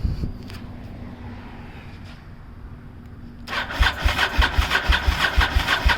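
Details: 1998 Honda VTR1000F Superhawk 1000cc V-twin, 19,291 miles, Yoshimura exhaust, cold start with choke after sitting for months: starter grinds at roughly three beats a second but never catches; owner suspects stale fuel and carbs and recommends a carb service.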